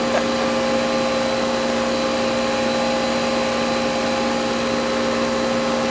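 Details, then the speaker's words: Goodman AC condenser after replacing a bad, puffy compressor capacitor: steady even hum with constant fan whoosh and smooth compressor drone, no clicking or rattling; compressor now starts, normal condenser operation. "Hear it? Compressor started that time. So it should be, I pushed the thermostat all the way down. Yeah, it's working."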